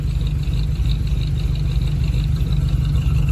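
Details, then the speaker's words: 1983 Chevy Silverado V8 idling after its cracked flexplate was replaced, which cured a knocking noise: a steady, even low rumble with no knock or clatter, following about an hour of driving. "and that has fixed the problem huh so if you get that kind of noise in your uh in your uh vehicle could be a cracked or snapped flex plate"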